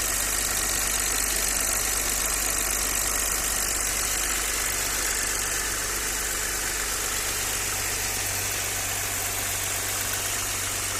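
Steady idle under a hissy background with a faint repeating knock, roughly three beats a second; knock present, cause unknown.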